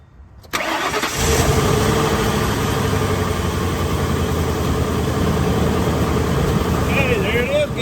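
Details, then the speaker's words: Old truck with dead battery, sitting for a while, jump-started with a Gooloo A5 portable jump starter: brief crank quickly catches and settles into steady, even idle with no stumbling; normal start. "Boom! How about that? This thing has been sitting here dead as a doornail for a while."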